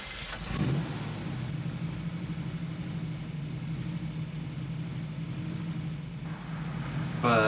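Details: 1969 Chevrolet Camaro SS V8 with rebuilt carburetor, plug wire replaced, idle screws ineffective: steady low idle with slight uneven lope; rough idle, vacuum leak suspected.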